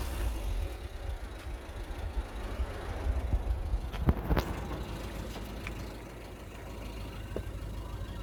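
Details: Talbot Express, engine warm: low, fairly even rumble with a few handling knocks and no stumble; the misfire present when cold is gone once warm.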